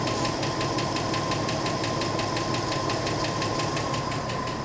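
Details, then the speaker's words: 1984 Ford F150 4x4 after a head change. Steady idle with a light, regular tick about three per second; the owner thinks the valves may need readjusting once things free up; ticking at idle. "Idling pretty smooth though, if you ignore that ticking noise."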